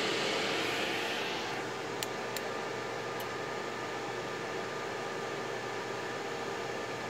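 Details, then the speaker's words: Desktop PC at power-on with no display: fan starts slow then jumps to steady loud full-speed roar, no beeps; caused by mismatched, dusty or static-charged RAM. "جیسے یہ آپ دیکھ رہے ہیں ابھی بالکل یہ بہت زیادہ سپیڈ میں ہو گیا، بہت تیز، اور ڈسپلے وغیرہ بھی نہیں ہے اور کافی نوائز کرتا ہے یہ پی سی جو ہے نا اس دوران."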